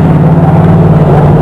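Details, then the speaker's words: 1947 Ford custom hot rod after new header gaskets: deep steady idle rumble, sounding better but with a raspy puffing edge from worn gaskets leaking on each side of the glass-pack mufflers; four gaskets to be replaced. "So, Joe's saying it sounds better. I can still hear where they're leaking around the glass packs."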